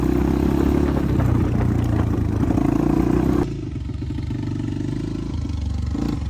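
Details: 1985 Honda XR350R single-cylinder four-stroke, revived after sitting outside 6–7 years, first ride after carb overflow leak fixed: uneven thumping under load, then ragged idle; carburetor still out of adjustment.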